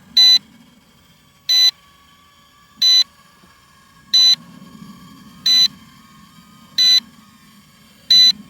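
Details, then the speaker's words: Cheap camera drone (GT3/i1Pro/V66/D18) in flight about 5.5 minutes into recording. Short high beeps about every 1.3 s over a faint motor hum are the low-battery warning; the drone was losing height and hard to bring back. "Słyszycie jak pika, że już jest koniec baterii."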